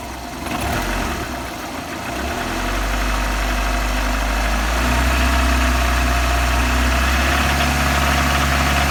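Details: VAZ 21124 16V engine at idle: steady idle with a regular knock about four a second; knock sounds the same cold and hot, owner can't identify what is knocking; engine knock.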